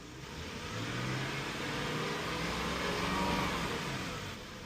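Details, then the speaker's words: Lexus LS430 (2001–2006) at 223,456 miles, revved just after an oil change, before reaching operating temperature: engine climbs smoothly through a single rev and settles back with no knocks, ticks or rattles, "sounds good"; healthy, even running. "And I always like to give it a little rev to make sure it sounds good. Sounds good."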